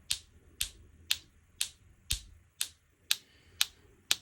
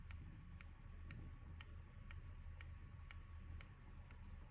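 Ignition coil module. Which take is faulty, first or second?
second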